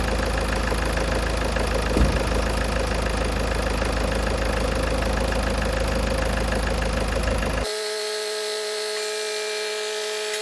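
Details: 2016 Ford Focus ST 2.0 diesel idling after a service with new oil and filter, air filter and fuel filter changed, 0w30 oil; even diesel clatter with the usual injector tick, no stumble, no leaks underneath; normal idle.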